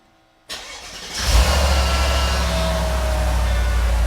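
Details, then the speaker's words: Mercedes SL55 AMG R230 after installing a new starter to cure intermittent no-starts: a brief crank, then it catches within a second and settles into a steady, even idle, starting much faster than before. "fires up so much faster too"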